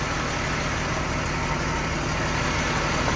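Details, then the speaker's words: 1996 Jaguar XJ 3.2 at idle: steady running with a faint uneven stumble every so often. Slight misfire traced, by unplugging the coils one at a time, to one failing ignition coil that makes no change when removed. "X J 3.2 has come into laws it's got a slight misfire"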